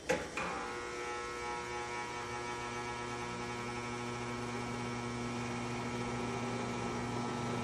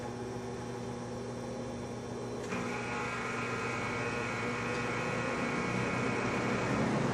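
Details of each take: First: Vintage McGraw Edison Zero box fan, around 1970s, just cleaned and oiled, started on low: brief startup thump then a constant low electrical buzz under the whir; it has always buzzed, cause unknown. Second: Vintage McGraw Edison Zero box fan, about 1970s, freshly cleaned and oiled; reluctant to start on low, runs on high; smooth steady hum with even airy whoosh rising as speed steps up; switch has an old quirk; normal running.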